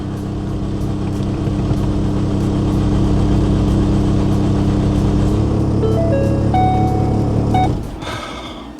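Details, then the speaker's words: Bagged big-turbo Ford Focus ST after sitting about a year: even cranking drone at about four beats a second without catching; crank no start, code P00C6 fuel rail pressure too low. "doesn't it want to start? No freaking way, bro. No way. What the heck? What could it possibly be?"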